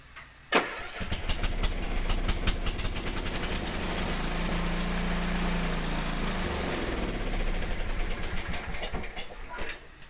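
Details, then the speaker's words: Restored, apparently low-hours Sears 10XL riding tractor, started briefly in the garage after reassembly with all wiring and systems working: it catches quickly and settles into a steady, even idle putter with no misses or knocks. Normal start and idle. "I'm gonna start it up just for a second but I don't want to let it run for too long because I don't want to fill the garage up with copper monoxide"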